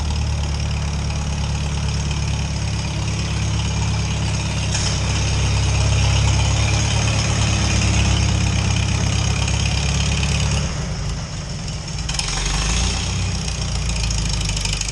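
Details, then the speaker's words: Farmall H tractor that sat for years, engine revived and running: a steady, even low engine beat with no knocks or misses. It sounds healthy. "boy listen to this thing H now that that sounds pretty good"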